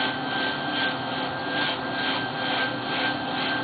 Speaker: that the amount of noise that the pump makes is actually directly proportional to the amount of leakage the amount of air that's going across the turbines